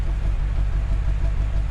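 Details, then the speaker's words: Totaled 2006 Mercedes-Benz E500 4matic wagon V8 at idle: a deep, even burble with a steady low rumble, no knocks, ticks or stumbles, and no smoke from the exhaust; it runs smoothly. "all right guys see it's running pretty good no knocks or anything running pretty good"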